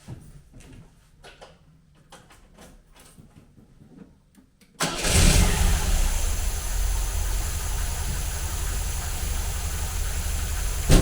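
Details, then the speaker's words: 1980 MGB with twin SU carburettors after mixture adjustment and balancing, restarted slightly warm without choke: brief crank, then a steady, even idle with no misses or hunting, smoother than before tuning. "I'll be honest, it was driving alright before this, but it was never that smooth. And that sounds fantastic."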